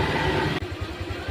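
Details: 2016 Vario fuel-injected scooter idles steadily with soft even pulses and no rattles after repair. Radiator coolant loss and the overheat light were caused by the water-pump impeller not spinning because a small pin was not fitted, not by the thermostat.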